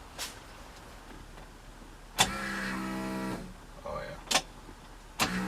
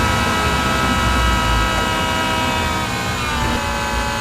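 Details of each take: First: 1965 Mustang fuel cell with external electric fuel pump, after fitting insulators: key on, two short even whirring bursts then silence as the pump primes, already much quieter than before; normal fuel pump priming. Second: 1965 Mustang with original tank replaced by a fuel cell and rigidly mounted external electric fuel pump; steady high whine over the running engine warming after battery disconnect, pump noise transmitted into the body, before fitting insulators; fuel pump whine.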